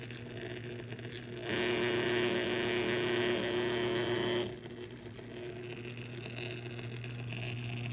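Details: Electric motor: steady hum swelling into rougher, louder whirring for a few seconds; bad bearings suspected, not confirmed.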